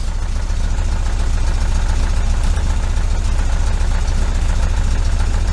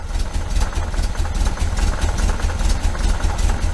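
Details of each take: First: 1973 VW Super Beetle, 1745cc engine on dual Dellorto FRD 34 single-barrel carbs with a balance tube fitted: lumpy, uneven idle pulsing about three times a second, stumbling as if ready to die; running on only two cylinders, can't hold idle. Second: 1973 VW Super Beetle, 1745cc flat-four on dual Dellorto FRD 34B carbs with a balance tube fitted for testing: steady low thrumming idle, even beat, no misses or hunting; carbs sound balanced.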